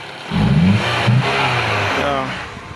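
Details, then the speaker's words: 2010 Toyota Camry that stalled on the highway and would not restart (P0335 crankshaft sensor malfunction), after repairing the wiring. Engine catches and revs up smoothly, then settles to steady, even firing with no stumble: fixed and running well. "So, the car is fixed, by the way. Yeah. So, the car is fixed now. It's running perfectly well."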